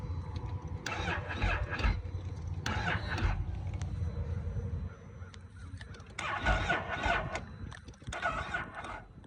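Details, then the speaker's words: Can-Am Gen 3 Outlander starting after sluggish limp-mode-like power and repeated stalls; heavy, dragging crank with uneven bursts, motor struggling to turn over; owner first took it for a weak battery, now believes it was starting to hydrolock. "Anyways, but yeah, it started, you can hear it in the video. It sounded like it started to hydro lock."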